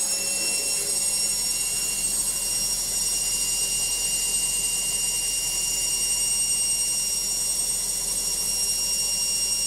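High-pitched steady whine with hiss all through the fast spin, level holding constant; it's a noisy spin, cause not pinned down.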